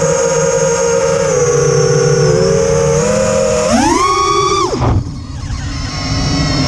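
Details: Quadcopter with TBS Bulletproof 25A ESCs (replacing LittleBee 20A, signal cap removed), DShot 600, Betaflight 3.1.0-RC5 (from 2.9). Motor whine climbs sharply with throttle, then drops, over a rough gritty buzz. Demag, timing and DShot 300 changes didn't help; cause unknown.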